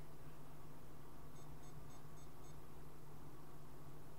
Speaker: the startup animation will play with no sound after a few seconds the hot end light will come on and then after a few more seconds you'll hear three beeps